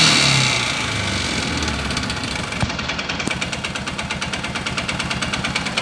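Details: Stels 500GT ATV at idle: sharp regular knocking, about three to four a second, steady as it settles; appeared after heavy loading towing a trailer up a long climb, origin unknown.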